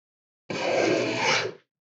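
A smooth, even hiss of about a second as the blade takes a full-length shaving, then another stroke begins: a sharp, well-set plane.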